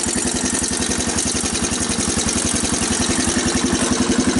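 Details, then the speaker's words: 1985 Honda TRX250 ATV first cold start with choke on, new battery fitted: steady, even single-cylinder thumping about 220 beats a minute, no knocks or misses; healthy settled idle; owner suspects it burns oil. "and you push the key [Applause] so that's what the engine sounds like"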